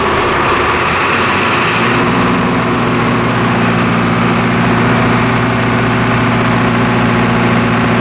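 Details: MEP-004A 15 kW three-phase four-cylinder diesel military generator with acoustic enclosure, first start after sitting for years following repairs: a brief crank, then it fires on the first revolution and settles into a steady, even idle drone with no knocks. Normal running.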